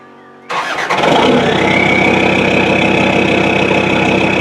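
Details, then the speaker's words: Land Rover Discovery TD5 diesel after fuel pump replacement for low torque: brief crank, then it catches right away and settles into a steady, even idle with no misfire or knock; normal start and idle. "Well, she's running. I don't know if you can hear me over the exhaust noise, but what we'll do is we'll get the bonnet and that shut down, get her in cleaned up, and then we'll take her for a road test, see what happens."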